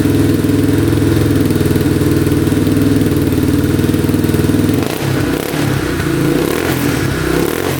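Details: Yamaha Warrior 350 quad bought non-running, now running, still smoking a little: single cylinder thumps evenly at fast idle, starts right up, blips and settles cleanly with no knocking. Normal running.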